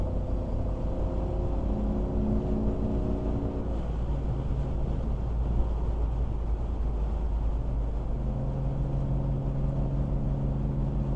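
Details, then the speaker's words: 2001 BMW E46 after wheel bearing replacement, cruising at 80 mph: steady cabin drone and road rumble with no squeak or chirp; old bearing chirped at highway speeds at a specific rpm. "great at 80. No squeaks, no chirps."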